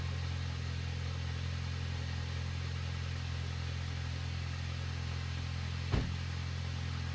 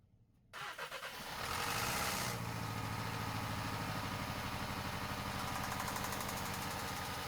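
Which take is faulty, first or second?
second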